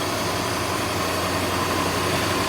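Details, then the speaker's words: 1964 Ford Thunderbird, started by jumping the starter relay while chasing a no-crank fault near the neutral safety switch: fires right up to a steady, even idle hum with no knocks or misses over fan noise; normal idle. "fired right up starts runs just"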